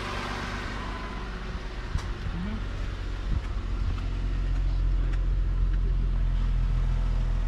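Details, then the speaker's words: Ford MKX after P0301 cylinder 1 misfire fix, replaced front-side part: low, even idle hum with no putt-putt stumble, all cylinders firing normally after repair. "there try starting it oh that sounds so much better"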